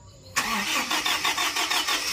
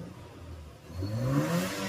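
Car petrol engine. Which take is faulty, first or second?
first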